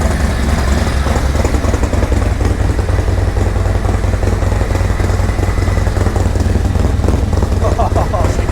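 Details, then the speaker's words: 2024 Harley-Davidson Road Glide, Milwaukee-Eight, ice-cold first start after Zippers 534 cam change: deep, lumpy choppy cam lope, noisy intake sucking a lot of air, no ticking, knocking or leaks; normal idle. "Oh, she sounds good. Noisy up here, sounds really good. Sucking a lot of air."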